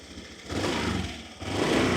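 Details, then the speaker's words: 2013 Honda PCX150i first-generation scooter, original engine and exhaust, magnetic starter-generator: soft, quiet, even idle with low steady hum and light throttle blips; healthy. "เสียงเครื่องเป็นไงนิ่มมั้ยนี่เสียงเครื่องนิ่มๆนะครับตอนสตาร์ทเนี่ยโอโหมันค่อนข้างจะเงียบอ่ะนะเสียงเงียบเลย"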